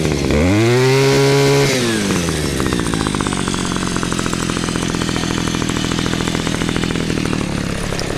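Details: Cheap two-stroke string trimmer, after ignition coil test, air-gap set and repair of no-spark fault: starts on choke, revs hard, then settles to steady even idle with regular firing; running healthy.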